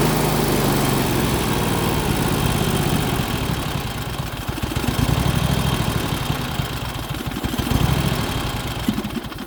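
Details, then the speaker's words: Yamaha YT6800 after a fuel system flush: small engine idling with a slow rise and fall in revs every few seconds, a mild surge at low idle. "see on the lower idle it's kind of a little on the surgey side"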